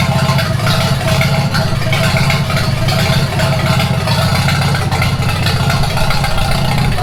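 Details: 1942 Farmall H tractor, hand-crank started after transmission teardown and repair of a scraping/screeching noise and hard reverse shifting, carburetor not yet adjusted: slow, even four-cylinder chug ticking over steadily, no knocks or grinding; normal idle.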